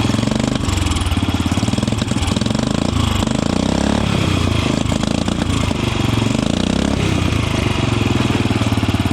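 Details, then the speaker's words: Royal Enfield Bullet Machismo 350 AVL, restored after its engine seized from water inside; timing gears and oil shaft were replaced. Running without a silencer, it idles with a steady, even single-cylinder thump, starts well, and has no rattle or knock: healthy. "एक number की starting हो रही है और हर चीज मतलब proper work कर रही है यहां पे इस इंजन की और ना तो इसके अंदर कोई फालतू की आवाज है ना कोई खड़खड़ फड़ खड़ कुछ भी नहीं है"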